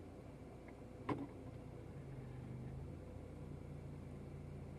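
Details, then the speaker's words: 2014 Honda Mobilio automatic at steady idle, one distinct clunk when shifting between R and D; mild engagement noise judged still reasonable for this transmission, not severe. "Agak berisik, ya. Anda bisa merasakannya saat kita beralih antara R&D dan D. Oke. Namun, hal itu masih masuk akal untuk transmisi tersebut. Bunyi berderaknya belum terlalu buruk."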